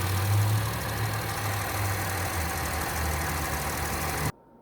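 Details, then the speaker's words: 2003 Acura MDX idle about two months after replacing worn power steering O-ring: steady even idle until shutoff, no whine or groan from pump; no leaks, fix holding. "It's good, and no noise from the power steering pump."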